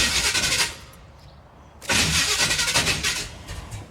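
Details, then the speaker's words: 1977 Chevy Monte Carlo, off the road for decades, distributor reset near cylinder 1 top dead center: two cranking bursts with ragged putters that never catch; hard start, timing suspected, to advance slightly; starter needs shimming. "oh she puttered [Music] yep we're close"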